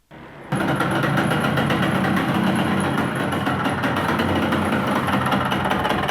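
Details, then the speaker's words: Yamaha YB100 before an engine rebuild, its oil flowing out extremely slowly and starving the engine: fires up and runs with rough, rapid knocking beneath the exhaust note. Connecting rod knock from oil starvation. "यह देखें कि यह topic में जो oil है यह एक-एक कतरा करके अरे बहुत स्लो और यह बिल भरने में इसको तकरीबन तीन घंटे लगे है इसी वजह से इसका कनेक्टिंग रॉड आवाज कार गया है"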